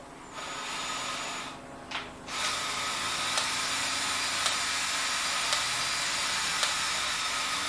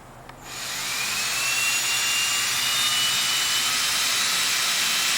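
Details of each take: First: 1967 VW Beetle speedometer on the bench, spun by drill via greased original VW cable: steady drill drone with a click about once a second, but the odometer isn't turning; head needs opening up. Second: 1967 VW Beetle speedometer bench-tested on a new cable piece after the original cable failed: smooth, steady high whirr, no clicking or catching, needle reading speed; speedometer working normally.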